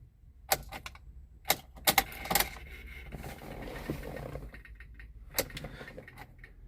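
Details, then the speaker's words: 2000 MGF 1.8, abandoned five years, ignition on but it won't start, alarm showing on and a gauge bouncing: sharp, irregular dry clicks in bursts from the rear. It previously ran on a booster pack; the cause is unclear. "can still hear things back there clicking. And why why won't you start?"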